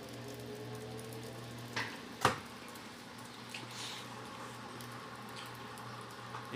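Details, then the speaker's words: Electrolux LTC15 washer on the stain-removal program washing sneakers: a quiet hum with a couple of sharp thumps, which is just the sneakers knocking the basket and is normal. "som foi do tênis batendo no cesto."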